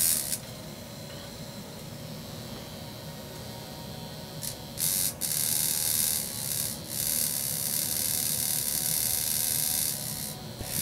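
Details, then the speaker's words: 1961 Monitor Radio MC-160 single-channel receiver, vibrator power supply needing exact spark gap on both contacts and correct reed position: thin high buzzing hiss that drops out repeatedly; intermittent vibrator contact sparking. "it's really a balancing act to get one of these vibrators going correctly because everything has to operate it just you know just so this the spark gap has to be exact on both sides not just one side"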